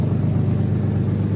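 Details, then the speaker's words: Nissan 370Z VQ37VHR V6, no catalytic converters, replaced engine, previously random misfire P0300 on cylinders 1, 3, 5: idle now even and steady with no stumble after removing one oxygen sensor. "decidí remover un sensor de oxígeno y miren al desgraciado parejo, como si nada hubiera pasado."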